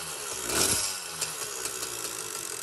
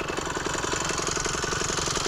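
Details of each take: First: Phantom 85cc two-stroke motorized bicycle engine: small buzzing with a loose, irregular metallic rattle that grows louder as revs rise; the stock piston pin bushing's inner coating was coming apart and it was replaced with an aluminum-bronze bushing. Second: Phantom 85cc two-stroke motorized bicycle engine, not yet fully broken in, after piston pin bushing replacement, warm after a run to about 42 mph, possibly running a little hot from the fuel mixture: quick, even idle putter, steady firing, no misses or knocking.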